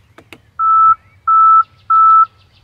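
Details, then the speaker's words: 2022 Tesla Model X passenger-side Falcon wing door will not open; pressing the interior open button gives two clicks then three steady beeps, the alert that the door needs recalibration. "I'll go inside the car and I'll also try to open it up from the interior, and you'll also hear the alert that comes up when you're trying to open it up when the door needs to be recalibrated."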